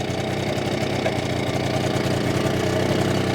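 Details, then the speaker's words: BSA D7 Bantam two-stroke under restoration, running during carburettor adjustment: uneven stumbling beat with occasional pops, misfire and backfire; owner suspects the ignition timing has slipped and plans to check it. "I'm going to check the timing because I think what's happening is it's slipping slightly what do you think do you reckon the timing slip slightly for it to miss firing back firing like that"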